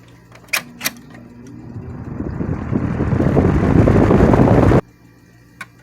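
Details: 1987 Patton CA-1284 12" rotary box fan starting up on medium after oiling with Singer sewing machine oil. Switch clicks, then a smooth spool-up into an even airflow rush with no grinding or ticking; everything works properly.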